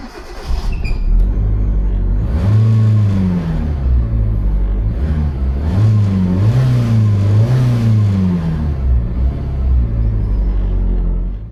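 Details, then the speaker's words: Hyundai Getz engine after replacing badly worn spark plugs that caused a big misfire: smooth, even note rising and falling cleanly through several revs with no stumble or miss; running healthy after repair. "So, I replace all of them and the misfire problem was solved."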